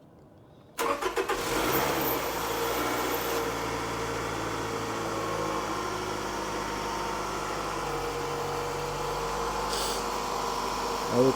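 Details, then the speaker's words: 2007 Toyota Highlander 2.4L after replacing valve cover gasket, PCV valve, position sensor, coils and spark plugs. Cranks briefly, catches cleanly and settles into a steady, even idle; starts better than before, no leaks. "oh turn it on again all right turns on better than before"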